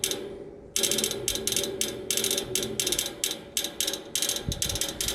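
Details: Neighbor's AC unit idle, fan off, motor replaced yesterday: after a short quiet spell, rapid crisp ticking about three per second at an even rhythm from inside the unit, not the fan; stops when the fan turns on; cause unknown.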